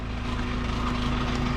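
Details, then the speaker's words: Single-axle truck with a new bed, idling with a muffler that broke again: a steady idle with a buzzy, tinny edge from the exhaust. Finding: rattling, loose muffler. "well so single axel's done it's got a new bed on it and a backup beeper stupid rattling muffler"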